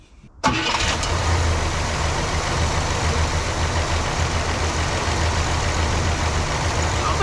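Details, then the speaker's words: 1967 Cadillac DeVille convertible V8, long-sitting, after plug swap, points gap set, cylinder seven compression 120: steady even idle, valve train quieted, running much better though cylinder seven may still misfire. "this thing's running really good you hear the valve trains quieted down"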